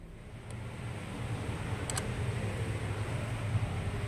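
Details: 2013 Ford EcoBoost 1.6 L petrol engine idling with an uneven, lumpy low rumble, attributed to a dirty mass air flow sensor; idle rpm drops after cleaning.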